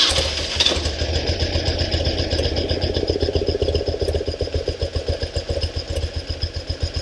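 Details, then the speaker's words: 1974 BMW R90S airhead, warm idle after new breather valve install: lumpy idle with rapid fluttering gobble about four per second, which stops when the flapper is held down; upside-down crankcase breather flapper valve gobble. "You can see right here that gobble goes away when that's down. Now, my question is, will that gobble go away if I lift it up? Because that is our noise maker."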